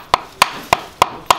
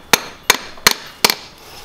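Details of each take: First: Kia Grand Carnival engine bird-like squeak complaint; new genuine Kia damper pulley struck for comparison: five crisp, solid knocks about a third of a second apart, clean with no rattle; sound, healthy damper pulley, unlike the worn original. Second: Kia Grand Carnival crankshaft damper pulley, removed and struck in a tap test: eight sharp taps ring hollow and rattly instead of the dull thud a new genuine Kia part gives. The rubber bond has separated, with green powder present; the engine had a bird-like squeak.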